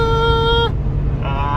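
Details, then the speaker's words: 4.7L Jeep Grand Cherokee WJ after an engine replacement, at 75 mph on the freeway: a steady high-pitched whine over the road rumble; owner suspects the fuel pump is struggling on gummed-up fuel, unconfirmed. "I think we're going to need a fuel pump I can hear it screaming back there the fuel pump is not happy uh it's probably because the fuel's all gummed up"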